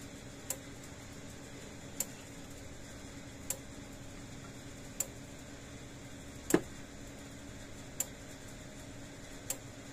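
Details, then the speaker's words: Stafix M20R electric fence energizer (same as Speedrite 2000R), brought in for low output; now plugged in it sounds healthier with sharp, even clicks every second and a half, about 9,000 volts out, but the board is still suspected faulty. "There we go, that sounds a lot healthier. And now I can actually hear it clicking, so something's wrong in that board."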